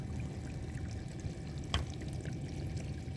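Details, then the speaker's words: Leaking dishwasher: steady low splashing trickle of water dripping underneath near the slope valve connection; owner suspects a lock nut needs tightening. "You could kind of see the drippage coming. So, what can that be to?"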